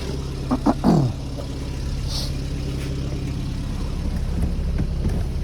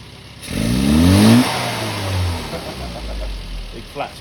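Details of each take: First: Carburetted car on the road, after adjusting the damper oil to keep it rich on opening: picks up cleanly with no flat spot or hesitation and drops straight back to idle without fluctuation; carburettor now set right. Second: Carburetted car on an on-the-road tuning session, bias-type needle fitted: revs climb as the throttle opens, then stumble and sag before slowly picking up; runs lean with a flat spot on opening.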